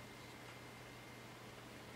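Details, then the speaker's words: Packard Bell iMedia S3720 desktop after a reboot, starting Windows: a soft, steady whoosh with a faint low hum and no rattle or surging as the rear fan turns slowly. It sounds quiet and normal. "Wow, it has now gone really quiet. And that fan in the back is spinning very slowly."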